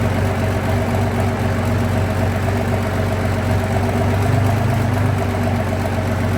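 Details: Abbot diesel engine on a very cold day, workshop test run after repair: steady, even low idle at about two pulses a second with no knocks or misses; running UJ later went out of balance and snapped a casting off.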